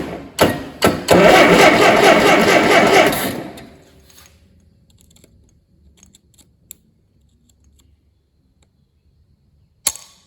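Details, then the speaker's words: Allis Chalmers D17 tractor on first start attempt in the chassis: starter cranks evenly at about four turns a second and never fires; the distributor points, not new, may just have been dirty. "Might have just been they were dirty or something. Those points are not. Yeah, I don't think they're new."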